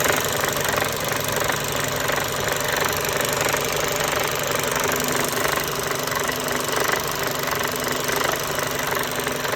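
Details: Mercedes-Benz Euro 5 truck diesel engine running: loose uneven knocking about three beats a second over engine roar, with wetness around high pressure pump and air compressor area; engine knocking, cause not yet confirmed.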